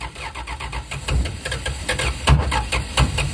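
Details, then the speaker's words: 1974 Dodge Dart Sport slant six, off the road 17+ years, after timing adjustment: uneven cranking with violent, lumpy kicks and smoke, never settling into a run. Way too much timing and a bad intake valve are suspected. "still acting like too much timing but also not enough timing"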